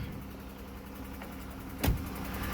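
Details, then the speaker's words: Dodge/Chrysler (Charger/Challenger/300-type) started after sitting unknown time, on a temporary fuel-pump connection: catches and settles into fast light valve-train ticking over idle, oil drained from the valve train, quieting as it runs. "oh it's ticking i probably should turn it off guys and check the oil right quick now don't be confused guys i don't know how long the last time this car ran uh so oil has drained from the valve train guys"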